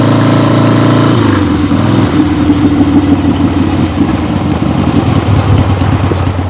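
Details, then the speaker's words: 1975 Harley-Davidson XLH Ironhead Sportster, freshly rebuilt and basically stock, on a road test ride with the camera clipped to the rider: loud, lumpy V-twin exhaust pulling cleanly as the throttle rolls on and off, no misfire or rattle; healthy. "But this is done, and it looks good, sounds good, runs great. Very happy with it."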